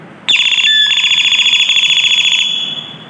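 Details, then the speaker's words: Doorbell after repair: its sound had been cracked due to a faulty 330µF/25V circuit capacitor, replaced with a 35V one. Bright, high electronic chime plays a clean repeating tune about two seconds, no crackle or dropouts; bell works properly. "ुई जो आवाज आ रही थी बिल्कुल फटी हवा चली गई अच्छी तरह से आवाज आ रही है है"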